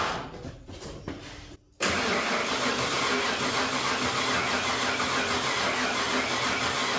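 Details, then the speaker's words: Ford 351W V8, engine pulled and refitted with new bigger cam and pushrods after a snapped non-hardened pushrod: even starter cranking, about three beats a second, no firing or pops; no spark suspected. "It don't sound like it's getting spark."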